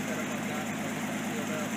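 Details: Nissan 280ZX during repair of corroded, poorly sealed cylinder 1 fuel injector harness connector: quiet steady hum with even beat, no stumble; all cylinders firing, idling smoothly.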